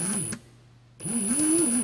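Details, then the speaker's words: Ryobi R18PD7 brushless cordless drill (dated 2017) at low trigger settings, which cuts out as if overloaded until the trigger is released: short low-speed bursts with a wavering, labored gear drone and thin whine, noisy straining gearbox. "So I've got my trigger fully pulled in and it cut out. And if I let it go and pull it again, it'll go. So the lights come on and I'll pull it again. You can even hear the gearbox is quite noisy."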